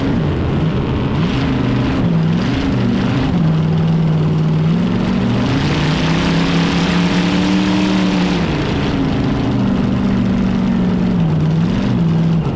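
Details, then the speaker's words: Drag boat race motor at CDBA Oregon event; deep lumpy rumble, revs wandering, all cylinders firing evenly and crisply, cackly, running right like in San Angelo. "We got the motor running right. It sounds real cackly and runs just like it did back in San Angelo."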